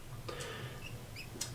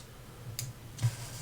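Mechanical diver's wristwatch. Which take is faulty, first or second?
first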